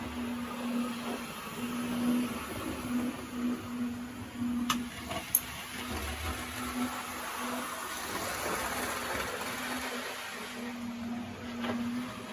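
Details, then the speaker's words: Vintage DMU model train with ribbed wheels replaced by smooth milled wheels: faint steady motor hum with light rolling rattle; runs quieter than before. "And it is perhaps even quieter than the Well, you couldn't describe it as quiet, but it is quietened down more than the Pullman has quietened down, I would say."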